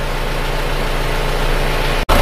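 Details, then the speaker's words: Isuzu Panther diesel from Kediri after repair with all-new original liners, pistons and rings, still cold shortly after start: steady even low rumble, no knocks or misses, smooth and soft; normal idle. "silakan dibandingkan mesinnya hidupnya rata suaranya empuk dan halus"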